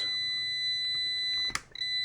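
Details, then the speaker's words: Amprobe multimeter continuity beep at about 30 ohms: continuous high beep with one brief break; beeps up to a 60-ohm threshold, too loose to trust for automotive fuse testing. "30 ohms, still beeping. 40 ohms, still beeping."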